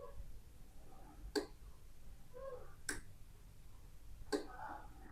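Three crisp, separate clicks about a second and a half apart in a quiet room, no buzzing between them; the relay switches cleanly.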